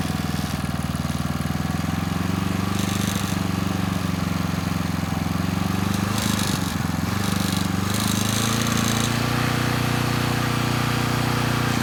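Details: Coleman Powermate Pulse 1850 generator (PM0401850, 1996 engine 93412-0136-01) after carburetor repair, no load in driveway, speed being set toward 61.5–62 Hz; steady even drone with firm low hum, no misses or surging, normal running; needle may let extra fuel drip.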